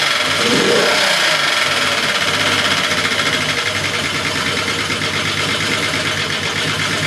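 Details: Engine during a swap test catches and settles into an uneven idle with a faint irregular stumble in the beat; VR engine rough idle, possible misfire.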